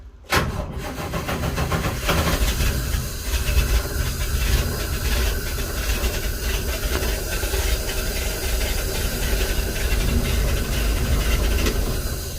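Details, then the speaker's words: Nissan truck with a carbureted petrol engine, cold start after sitting for months: loud, uneven, lumpy running right after it catches. The owner says it normally fires up and runs smooth, and the carburetor is now half full of fuel. "She doesn't sound the best, does she? Normally, to be honest, it just fires up and runs smooth the times I have had it running."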